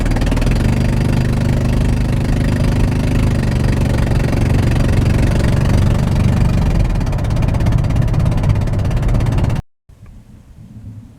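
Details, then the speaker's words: Van with a spark plug blown out of the cylinder head, first mistaken for a blown-off exhaust: loud raspy chuffing rising with throttle like a blown exhaust, engine gutless with extreme lack of power on the highway. "something you're going to notice if you have this problem on the highway extremely uh gutless extreme lack of power"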